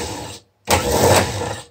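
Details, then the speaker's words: Starter removed from a 1974 BMW R90/6 airhead, bench-tested with jumper before rebuild: short rough whirr with dry scraping grind; sounds dry and worn, bushings suspected dry rather than bad brushes, not confirmed. "so this sounds pretty dry and worn the brushes might not be bad the bushings might not be bad they might just be a little on the dry side and that gives more resistance to this thing spinning when it's supposed to start your motorcycle"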